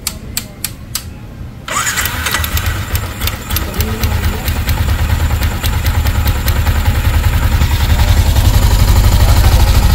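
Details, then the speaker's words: Yamaha Sniper 155 at 56,600 km after cam bearing replacement; a few starter clicks, then it fires and settles into a steady, even idle with no ticking or rattle from the top end; now quiet, cam bearing confirmed as the problem. "Ayun, tahimik na mga boss. At ang dami langis. Ba, di namatay. So okay na siya."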